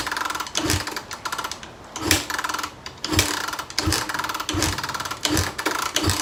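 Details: 2012 Suzuki RMZ250 fuel-injected dirt bike, stored since January, freshly serviced with new spark plug, air filter, fuel and oil, has spark: repeated cranking bursts about one a second that never catch; cranks but won't start.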